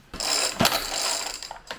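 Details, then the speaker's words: Homelite 4620C 46cc chainsaw, 20-inch bar, recoil starter before repair: single pull gives rough ratcheting clicks and slips instead of smooth whirr as worn plastic starter teeth skip. "the first issue that i need to tackle here is when you pull this pull starter it's got some plastic teeth in here and they're skipping so it's not pulling smoothly"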